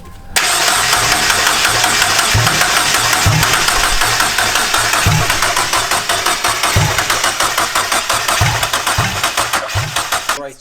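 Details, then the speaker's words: JDM turbo Miata on MegaSquirt, first start attempt after reseating parts under the fuel rail; starter grinds with uneven stumbling firing bursts that never catch, RPM reading jumping 200 to 0 while cranking: no start, crank pickup suspected, damaged crank pulley trigger markings. "Yeah, I It's think like something's wrong with the crank pickup because I could look at the Mega Squirt and you could see the RPMs, and as soon as it starts, you see it like grab is when it's cranking, it's going from like 200 RPMs to 0, 2 to 0, 2 to 0."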